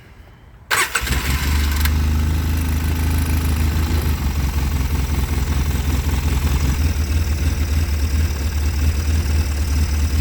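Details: 2005 Polaris Sportsman 700 AWD ATV that sat about two years with rotten fuel, first start after cranking and a little choke: brief crank, catches and settles to a steady low idle, slightly uneven, maybe wanting more choke; idles normally.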